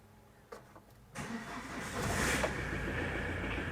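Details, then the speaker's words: Tata Winger diesel at 157,408 km, cold start once the glow plug lights go out: short crank, catches at once and settles into an even, steady idle; normal cold start. "Car start हो गया। Car आधी है। स्वयं से शुरुआत करें।"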